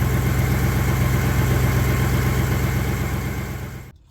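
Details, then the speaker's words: 1961 Buick Skylark idling after engine work fixed oil pressure problems, still on old fouled spark plugs: smooth even low idle beat about four pulses a second, no ticking or knocking, then clean shutdown; engine super quiet. "It's running really, really nice. Also, the oil pressure issue is fixed and the engine's super quiet."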